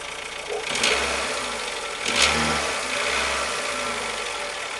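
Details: 2007 Renault Logan 1.6 8-valve engine, driven about 20,000 km with the knock: engine blipped twice from idle, a hard knock rising and falling with revs over rough running; engine knock, cause unknown.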